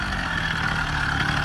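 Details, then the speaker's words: Freshly built motorized bicycle with a small two-stroke engine: low, chuggy, uneven idle sounding like a tractor rather than a crisp buzz; rough idle, cause undetermined. "oh yeah it sounds like a tractor bro right what do you think about it"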